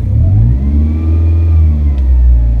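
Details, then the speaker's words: Toyota Avanza/Daihatsu Xenia alternator not charging, dropping to about 12 V under blower/light loads and reaching 13.8 V with revs: a faint high whine that rises and falls with revs over the exhaust drone, louder in the cabin. Likely failing alternator diodes. "itulah masalah pada alternator yang istilah kalau orang dinamo bilang dia jebol tapi ada parts yang harus digantinya salah satunya adalah biasanya bermasalahan ada diodanya untuk bunyi dengung kayak gini"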